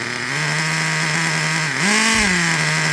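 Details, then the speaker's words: Traxxas Revo 3.3 nitro RC truck engine: fast, buzzy idle sitting high and flaring briefly before settling back; too lean, not getting enough fuel. "Like if your car is running like this, it's too lean. Let me show you again. If that's how your truck is running, like I said, not getting enough fuel. It'll sound like that."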